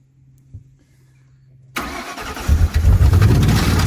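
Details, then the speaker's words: Grand Marquis V8 with homemade twin superchargers, hole noted in side of block: after silence engine catches and settles into a loud, rough low throb about four pulses a second; noise cause unclear, owner says it runs good. "runs good not real sure what all that noise is but I it'll be fine"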